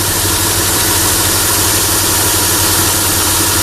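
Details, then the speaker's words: Chrysler Sebring idling after repairing a 3-tooth valve timing jump; slight tick sometimes while warming up, otherwise steady; oil leak being traced. Smooth low hum under a constant airy hiss, no knocks or misses; running fine. "there's a slight tick in there but that does that sometimes when it's warming up no problem it's nice and steady real static"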